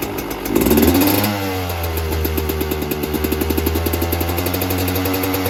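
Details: 2024 Yamaha YZ125 two-stroke after fitting a new FMF pipe and silencer, JD jetting kit, Castrol full-synthetic oil and new fuel mix to cure jetting problems and fouled plugs: a quick throttle blip, then a crisp, even idle that settles cleanly without bogging; healthy.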